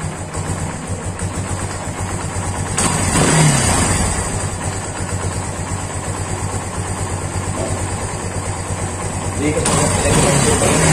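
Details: Kawasaki Barako 175 single-cylinder motorcycle after fixing its hard starting and fuel overflow: steady low thump at idle with no stumbling or misfire; clean, healthy idle.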